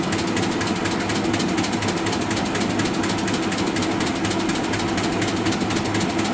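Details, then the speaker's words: Arter A3-12 12" rotary surface grinder, 220V three-phase, flat belt spindle drive; quick steady ticking from the belt seam over the smooth hum while running, normal. "machine has a flat belt drive to the spindle on it so you hear it kind of clicking from the seam and the belt when it runs"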